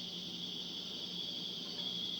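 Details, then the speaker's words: 1989 52-inch Casablanca Venus ceiling fan, board thought dead, only speed 3 worked, on high then reverse: steady thin high-pitched whine over soft hum, unchanged with speed; obnoxious electrical noise, cause suspected, not confirmed. "and some really weird noises now we're reversing okay i don't know what's going on with that noise it's really annoying though"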